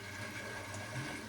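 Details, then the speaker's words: Central heating pump (Grundfos) in 10-minute app-controlled venting mode after zone valve swap: steady pump hum under restless bubbling and gurgling water; air still trapped in the system being pushed out. "So, before Well, there's still air in it cuz you can hear the bubbling and the gurgling, but that is all done through the Grunt Go app."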